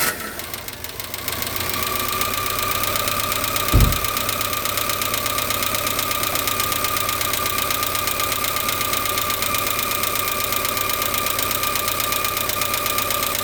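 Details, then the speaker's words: 1994 Renault Twingo 1 Phase 1 at idle: steady idle with a constant high whine and irregular light rattle about twice a second underneath; owner suspects noise from the clutch or gearbox, not confirmed. "Il y a un bruit au niveau de la l'embrayage. Je demandais d'où venait ce bruit. Ça vient d'embrayage en la boîte de vitesse."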